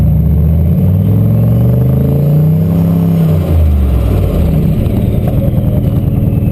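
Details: Turbo LQ4 V8-swapped Ford Ranger, no-start traced not to the MAP sensor but to a DTC code that had been disabled, now fixed: deep V8 rumble rising and falling evenly with throttle as the truck pulls away, no misfire or stumble.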